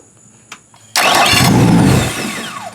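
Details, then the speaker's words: 2008 Yamaha outboard, about 400–600 hours, after replacing the starter relay that caused a click-no-start: brief crank, catches instantly into a strong, settling idle; starts right away. "Nice. Right away. Start a relay was the problem."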